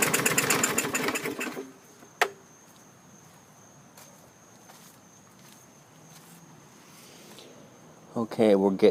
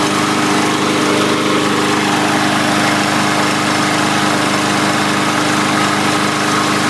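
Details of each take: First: 2017 MTD push mower, Briggs engine with muffler-run automatic choke: recoil cranking bursts with no catch; turns over but won't start; spark present, rusty plug, moisture in cylinder suspected. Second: 2017 MTD push mower, Briggs & Stratton engine, after clearing debris from the breather tube: steady, even buzz with no misses or surging, holding constant speed; running normally.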